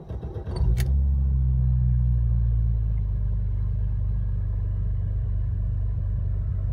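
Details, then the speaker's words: 1993 BMW E34 M5 six-cylinder, stock cams, stainless tri-flow exhaust, cold start: fires quickly with high idle that then drops into a deep, slightly uneven lumpy lope with no knocks, as owner says these cars sound; normal cold-start idle. "starts with kind of a high idle but then it lowers down a little bit and it sounds kind of lumpy and I think most of these cars sound that way"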